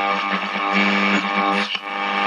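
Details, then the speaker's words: 1947 STC Bantam C141 valve radio after reseating a loose valve and replacing filter caps, power brought up slowly to about 200 V: station audio comes through clean, steady and undistorted; set receiving properly. "well what do you know the stuff works out cool it's a goer it's a goer"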